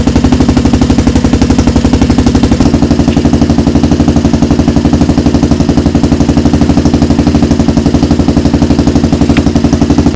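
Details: Rebuilt 400EX single-cylinder quad at idle: crisp, even thumping at about four beats a second, steady throughout with no misses or knocks; healthy idle.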